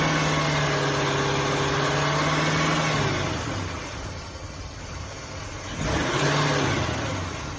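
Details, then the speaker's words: 2005 Ford Taurus with surging idle, revs sagging and climbing as the engine hunts; ignition coil recently replaced, air heard escaping somewhere, idle air control valve under suspicion. "see how it's jumping real bad sounds like I hear air coming out of somewhere else"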